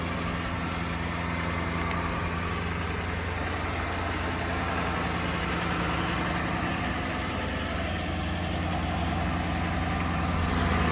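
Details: 2005 Mercury Grand Marquis GS V8, 54,868 miles, cold: steady idle with faint uneven tinny rattle from underneath; owner suspects catalytic converter and heat shield, possibly resonator or muffler, not confirmed.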